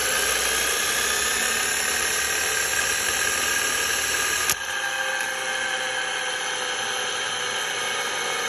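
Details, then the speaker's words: 3T22 motor spun by a drill at its full speed of 2600 rpm gives a loud, steady, high-pitched squeal and whir with a rough edge; owner believes the bearings are making the noise, unconfirmed. "when i got the drill to full speed this motor i do believe is the bearings making that awful noise but have a listen for yourself"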